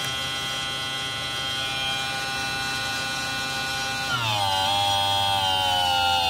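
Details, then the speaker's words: Tomos moped electric conversion: high thin buzzy electric whine at high speed, pitch steps down and wavers; owner says it sounds weird, shouldn't do that, cause unclear. "that just sounds weird you see how it goes done downtown shouldn't do that you need a different yeah so that's just the high speed that does"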